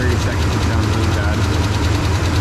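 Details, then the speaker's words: 2012 Dodge Ram 2500 with 5.7 Hemi V8 diagnosed by another shop with a failed camshaft, awaiting a remanufactured long block; loud, uneven lumpy idle with stumbling beat and light tapping underneath; runs terrible. "I mean it runs terrible and uh inspiring to so uh I mean he wants to keep this truck so we're gonna put a free manufactured long Block in it and that should solve all his problems hopefully you can hear that now it really sucks"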